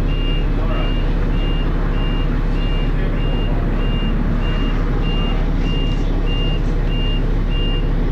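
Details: First Manchester Dennis Arrow bus R443ULE, with a slipping ZF gearbox: high, steady dashboard alarm beep about twice a second over a diesel idle; the bus possibly overheated, as the driver called the depot mentioning temperature.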